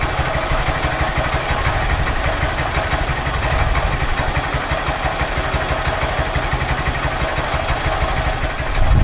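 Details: Honda Grom just after Chimera intake install: quick, even put-put of the small single at idle with a noticeably deeper intake note and steady rhythm; smooth, healthy idle.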